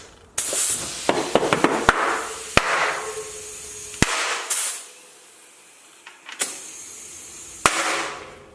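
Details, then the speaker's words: Used tubeless mountain bike tire being inflated on a rear Tuff carbon XC wheel with sealant and soapy water: a steady rush of air with sharp pops as the beads seat, and no leak afterward. "Bam! I love that sound. Okay, so the back, no leaks."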